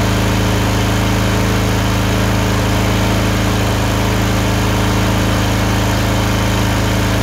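Small twin runs steadily but with an uneven, lumpy pulse, about three a second, that points to a misfire and surging.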